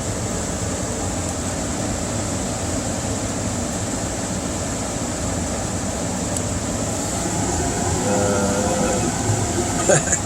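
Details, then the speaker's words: Carrier 58MCA-1551 furnace after replacing blower motor (refurbished GE 1/2HP 1075RPM), squirrel-cage wheel and run capacitor: steady, even air rush with faint high whine, no scraping or knocking; blower runs smoothly. "oh yeah that sounds great I'm happy and the main reason I'm happy is I was able to do this myself"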